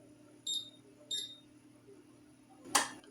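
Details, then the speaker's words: Siemens induction hob after repair (faulty capacitor replaced, fresh thermal paste on the NTC sensor), heating a pan of water: two short high beeps, then a sharp relay click as the zone engages and stays on; works normally, no longer switching off. "Y funciona, el fuego no se apaga y se escucha el relé activándose."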